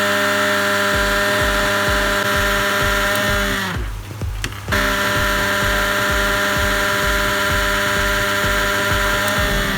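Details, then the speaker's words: Mixer grinder running very loudly: steady motor drone with a coarse buzzing rattle and uneven ticking throughout. "देखिए दोस्तों इसका बहुत ही आवाज आ रहा है। ये क्यों आता है इस आज के वीडियो में देखते हैं दोस्तों।"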